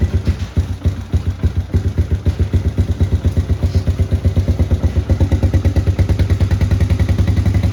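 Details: 1993 Honda TRX90 ATV after top-end rebuild and fresh oil change: small single-cylinder thumps along at a steady, even idle with no knocks or misses; engine running healthy.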